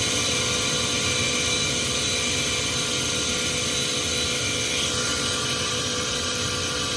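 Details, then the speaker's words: Trane gas furnace inducer motor running: a loud, steady high-pitched scream over the running hum, audible downstairs with the doors shut. This is far louder than normal and the motor is believed to be failing, with replacement planned. "So you can hear that kind of screaming noise. It shouldn't be that loud."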